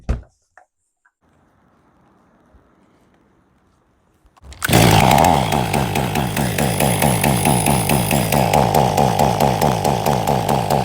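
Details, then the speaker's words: 2023 Stihl MS500i 79cc fuel-injected chainsaw with a complaint that it starts, runs, then quits, after a new fuel filter and a new NGK CMR6H plug: it fires and settles into a steady, even run with a crisp exhaust beat. It was flooded and had to clear out. "Well, there this 500i runs. Just had to clear its throat out. Was pretty flooded."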